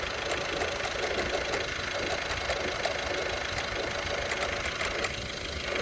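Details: VW 1.6 TDI (Touran/Golf/Polo) diesel at idle: faint, irregular light ticking and rattle over the diesel hum from the accessory belt tensioner pulley.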